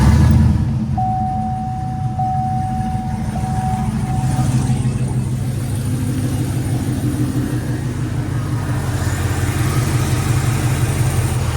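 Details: Truck started after battery tested good (in last quarter of life) and alternator about to be tested, following unexplained battery drain; steady even low rumble, no knocks, ticks or squeals, smooth idle; normal idle.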